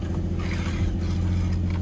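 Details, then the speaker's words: Nissan or Infiniti at auction with 144,000 miles, started on weak battery: even, steady low idle rumble with no ticking, knocking or misfire; normal running, sounds healthy. "sounds really good okay yeah this thing sounds good 144 000 miles definitely uh this might be a good one from where it sounds I like it guys I like it"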